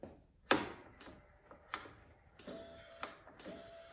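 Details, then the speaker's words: 1999 Harley-Davidson Ultra Classic with no crank, no start and no radio or tach lights: the relay fed by the three ignition-switch wires gives sharp dry clicks, and tapping it with a screwdriver changes nothing. The relay is clicking normally; the ignition switch was later found failed. "definitely hear it clicking just going to tap on it with a screwdriver and that's not doing anything"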